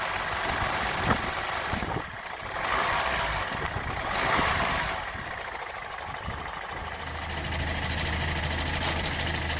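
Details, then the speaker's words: Land Rover Freelander 1 with 2.0 TD4 BMW diesel, noisy for six months: uneven, intermittent knock through the idle clatter, worse once the engine warms up, from a failing crankshaft pulley. "when the engine starts to warm up you can hear it now just knocking away"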